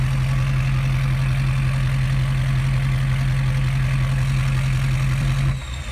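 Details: 2012 Ford F550 6.7L Powerstroke diesel idling with exhaust open right after the header pipe, no resonator or muffler, mic 16 inches from the pipe end at a slight angle: loud deep rapid unmuffled burble.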